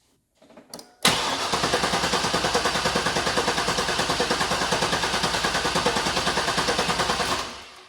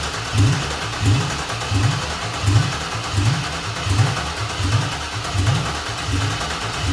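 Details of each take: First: Chevy Silverado 1500 with swapped-in 5.3 from a 2000–2001 Tahoe, compression check on misfiring cylinder 3: even cranking about three beats a second, no firing, gauge reads about 150 psi; normal cranking, good compression. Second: Chevy Silverado 1500 with swapped-in 5.3 LS V8 from a 2000–2001 Tahoe, first start-up: rough lumpy idle with a heavy uneven thump about once a second; one plug wire mouse-chewed and missing, so one cylinder dead from no spark.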